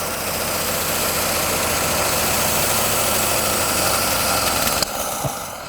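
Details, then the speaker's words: 1937 Buick Special straight-eight, sitting for decades, runs with a busy, rattly idle and a little backfire, with the carburetor throttle held open by a screwdriver, for about five seconds, then cuts out as it runs out of fuel. "this 37 Buick straight 8 is running"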